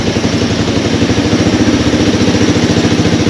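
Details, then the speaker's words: Honda TRX200X single-cylinder, previously seized, first run without a battery: fast, steady idle with a faint light clatter up top; slight valve rattle. "it's it's not right but it's fun and it's running and uh it's actually running you know there's a little bit of valve rattle in the in the top but not a lot not a lot"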